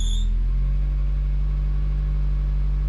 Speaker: need to fix that squeaky belt but sounds like a quiet exhaust